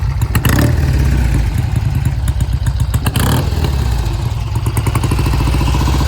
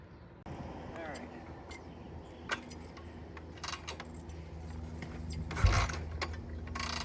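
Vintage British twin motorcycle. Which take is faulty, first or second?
first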